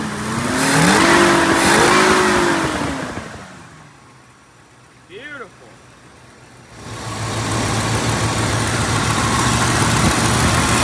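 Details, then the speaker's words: 1969 Mercury Cougar 428CJ V8 after a carburetor installation, with a small leak noted at the back. It revs up, settles to a smooth, even idle, then picks up again; runs cleanly. "it fired up we've got a little leak back here but I'll handle it play it top running like a top"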